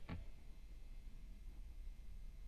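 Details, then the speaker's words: New Fender Standard Stratocaster single-coil pickups after copper foil tape shielding and improved ground: a click then only very faint low hum, quiet background, much better than before across neck, middle, bridge. Normal low pickup hum. "So that's just one of the things with these single coils, is that they are a bit noisy, but as you can hear here, it definitely does make a difference."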